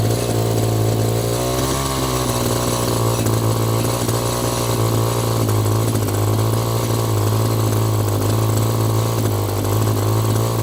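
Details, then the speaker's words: Echo GT-200i string trimmer, after further half-turn adjustments of the carburetor: small two-stroke holds a steady, even buzz with no stumbling or dying; running properly, carb may need a bit more tweaking. "So far so good. Wow. A honestly I'm just going to let it air for a bit, but honestly I' I'd call this a win."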